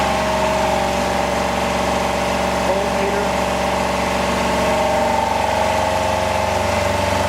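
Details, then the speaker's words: Home-built Yanmar two-cylinder diesel standby genset in a shed, just started warm: loud, steady drone with an even throb and constant pitch, no knocks or misses; running normally. "all right it's pretty noisy it's hard to hear there"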